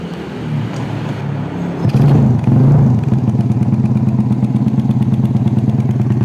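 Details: Yamaha Vega R New with 53 mm bore-up, after installing Koizumi hard valve springs and an oil change, kick-started: small single settles into a steady even putter, about three to four beats a second, runs cleanly, no tapping; normal idle.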